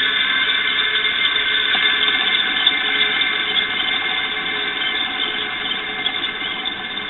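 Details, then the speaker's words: Electric motor from an exhaust fan, after oiling at its oil ports: it turns over more easily, but while running a steady high squeal still rides over a rough grinding hiss; a dry or scored bearing is suspected. "all right anyway while the motor was running I don't know if the camera picked it up or not but it's still making a little bit of a squeak noise it's still got a little bit of grinding noise especially after I unplugged it"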